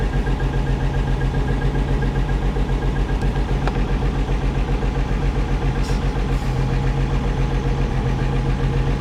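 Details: 1963 Rambler American, first start after engine rebuild: steady, even idle about 220 beats a minute, smooth low hum, no knocks or misses; temp holding 195°F, slight exhaust leak, some oil smoke possibly from overfill, generator light on.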